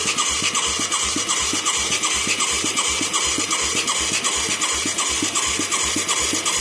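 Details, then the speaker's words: Mid-1980s Yamaha YFM200 Moto 4 ATV with a newly fitted carburetor and a new spark plug, on the electric starter: steady even cranking at about two and a half compressions a second, no firing or pops. It has good suction and plenty of fuel. Owner plans to check spark. "I can't believe we ain't hearing something. It's got good suction and there's a shit ton of gas."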